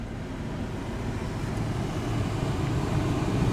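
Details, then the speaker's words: Front blower motor (R13 fuse), working well today: pressing the air recirculation button makes the fan go harder and faster, a low steady rush of air building over a few seconds; normal blower speed increase. "it makes the fan go harder and faster. That's what it sounds like."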